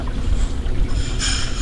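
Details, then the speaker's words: Hoshizaki ice machine after reset, first step of cycle: water valve opens and water shoots into the tank, steady rushing, splashing with low even roar; normal water fill before float switch signals board to start compressor. "The first procedure that will do it will open out the guy the water Bob Right here and it will start shooting water in the water tank See right there. All the water is coming down"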